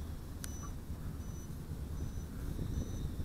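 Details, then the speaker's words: XF100 micro brushless FPV racer drone (1104 8000KV motors, five-blade props) in flight: four faint high beeps about every 0.8 s over heavy wind rumble, increasing low-battery warning before landing. "Okay, we're going to start believing the beeper here shortly. I'm going to go around the trees one more time, and then I'm going to land it because those beeps are starting to increase"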